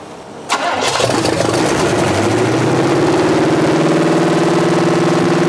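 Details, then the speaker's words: 1986 Chevy C10 with replacement small block 350 V8, first start in decades: fires straight into a fast, steady idle that never settles; throttle set a little high, couple of possible vacuum leaks tightened, more suspected; high idle. "throttle a little high but I think she's going to be all right I tightened down a couple possible vacuum leaks"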